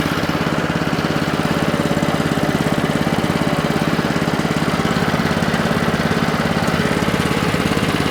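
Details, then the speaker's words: Alkota 3205 hot-water pressure washer, sat for years, crusty quarter-full gas tank: small petrol engine runs with a quick, even, steady beat and sounds healthy, though something visibly pulses and leaks. "that sounds pretty good i better get that fixed because i see it kind of pulsing here"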